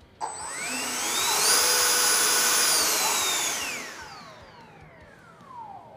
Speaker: We can slowly raise the throttle stick and we'll hear the whine of the motor to know that it's working properly.